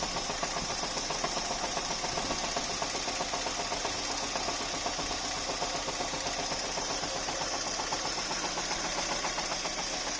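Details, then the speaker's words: Opel Vectra A C20NE, cold, on break-in after overhaul. Idles unevenly with a fast, slightly irregular ticking near four a second; owner suspects misfire. Steadies as it warms. Codes 71 and 19 appeared, then cleared. Rough cold idle. "Двигатель на обкатке после ремонта на холодное колбасит. Вроде есть, похоже, пропуски зажигания."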